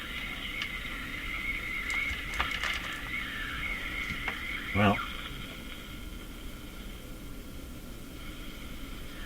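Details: Canadian Crosley Model F-5 radio during capacitor replacement: a thin whistle near 2 kHz warbles steadily over the hiss and station noise. The heterodyne squeal persists.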